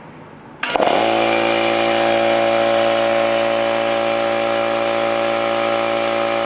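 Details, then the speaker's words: New oil-lubricated Campbell-Hausfeld air compressor starting a run: smooth, even drone with steady pitch and no metallic knocking or clatter like the old Brute; running healthy. "one thing I noticed is that this thing is not making any horrible metallic sound like the old washing maggiore did"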